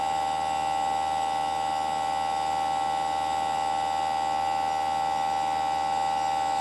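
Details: Newly installed Greenspeed heat pump running: steady, piercing mid-pitched tonal whine over a low hum that never lets up; unit is not quiet.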